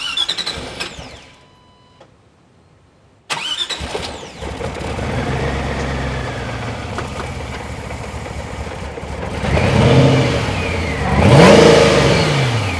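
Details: Ford GT first start after replacing fuel injectors with 5 gallons of fuel added: cranks and catches into a steady idle with two clean revs. No leaks at the fuel rail, starts normally.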